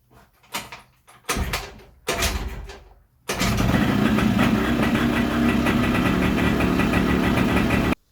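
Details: Malossi 172 two-stroke engine block, right after the no-start problem appeared fixed: three short cranking bursts, then catches and settles to a steady even idle; later hesitation when warm suspected electrical.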